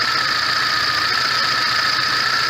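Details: VAZ 21099 after a faulty valve was dealt with; the earlier misfire, shaking and hunting idle are gone: even, steady idle with all cylinders firing cleanly, compression now equal on all cylinders.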